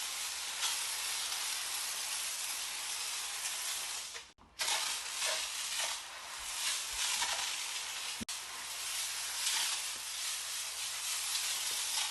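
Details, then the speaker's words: IK Foam Pro 12 sprayer pre-rinsing a car: steady hissing, very wide spray with two brief cutouts, around four and eight seconds in, where the flow skips and sputters; spray sputtering. "it does have a few skips you can hear it sputtering this thing just sprays so it's just so wide"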